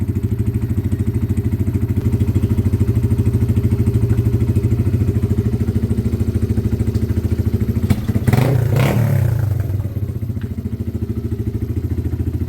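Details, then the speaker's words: Weathered motorcycle from Wales on a quick test ride: steady deep thumping idle with a brief throttle blip mid-clip, settling back evenly; runs spot on and needs nothing. "Yeah. Spot on. That is a quick flip. Nothing. Needs nothing."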